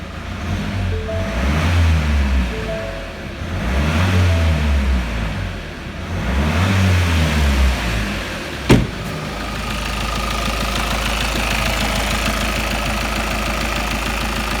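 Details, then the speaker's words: Rover 75, after injector work: three quick revs rise and fall cleanly, then steady even idle with no rattle; running as it should. "Yeah, that is now running as it should be. Nice. Well, that's it. It's just running as sweet as a nut."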